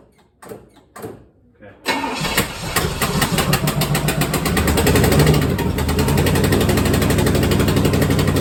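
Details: 1964 Chevelle V8 first start after sitting a while, coolant leaking from a missing freeze plug and burning on headers; short cranking bursts, catches about two seconds in, lumpy uneven beat, barely keeps running; rough running.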